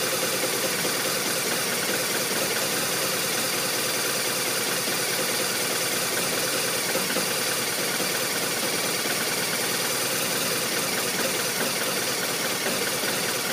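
Boxer twin ticking over with an irregular, loping beat and uneven firing pulses instead of a smooth patter; rough idle.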